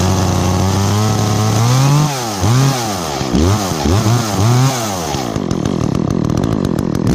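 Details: Echo chainsaw, chain worn from maple cutting, last run two or three weeks ago, started on choke after priming with chain brake on: crisp note snapping up and down on repeated throttle blips, no bogging; bar oil spews when revved, normal running and revving.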